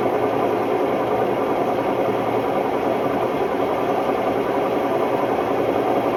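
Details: Hotpoint Ultima WMD960 washing machine on a test spin; loud, steady roaring rumble with a rough gritty edge from worn drum bearings.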